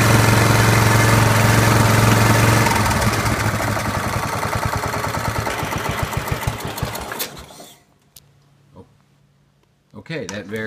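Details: Wheel Horse B115 lawn tractor with Briggs and Stratton single-cylinder engine, first start after winter storage with the kill wire disconnected, chugs evenly at roughly 220 beats a minute, then winds down and stops. Faulty kill switch relay was grounding the kill wire.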